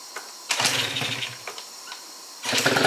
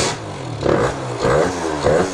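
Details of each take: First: First fire-up of a Yamaha Zuma scooter rebuilt with a Stage 6 MK2 70cc two-stroke kit, HPC crank, Yasuni C16 exhaust; brief false start, then catches into a crisp, buzzy, steady fast idle left to warm up; normal first start. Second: Stock Yamaha Zuma 50cc scooter rebuilt with Stage 6 70cc two-stroke kit: newly hooked-up electric start gives three labored cranking surges without catching; starter sounds weak and seems to grab or bind, cause suspected, not confirmed.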